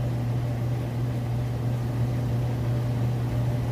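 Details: Whirlpool electric dryer on auto dry, high heat: smooth, steady low hum with an even drum rumble and no rubbing, squeal or thumping. Running normally, with plenty of heat.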